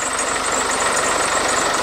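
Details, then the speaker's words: Land Rover Defender 110 diesel (ex-RAF drone recovery truck) first start after cam belt and timing cover work: steady, even idle clatter, no screech or squeal from the front as before; believed fixed, auxiliary belt known to squeak. "there's no horrible noises it hasn't made the screeching noise it made the first time we put that cam timing chain cover on so I'm thinking that's fixed now"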